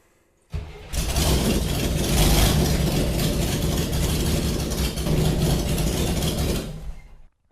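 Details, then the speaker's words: Chevrolet Corvair with carburetors and fuel pump, just checked leak-free, restarted: short crank then harsh, very loud rasping idle because no exhaust system is fitted. "you probably heard just how loud this thing is, and that's because there's no exhaust."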